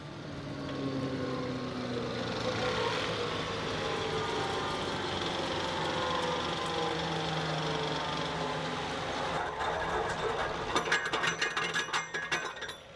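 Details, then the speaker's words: Maschio flail mower on a turbo John Deere 2308R shutting down: whine falls away as the rotor coasts down, then irregular slapping taps two or three a second from dangling hammers hitting the drum; normal, harmless. "I hate the way that sounds when it shuts down. I'm aware that it's just as it loses momentum, the hammers dangle and smack the drum a little bit. It's nothing bad, but it sounds like a bad noise."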